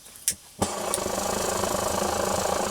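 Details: 8R stove relit while still hot: brief hiss, soft pop as it catches, then steady even burner roar with no sputter; running cleanly.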